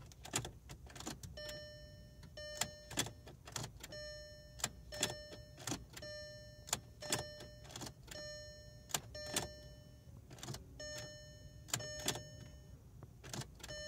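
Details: 2002 VW Jetta GLI VR6 (BDF), hot restart after driving, ECT sensor already replaced: quiet sharp clicks repeat with a chiming tone and no starter whirr or engine turning; starter not engaging, owner suspects ignition switch or starter relay.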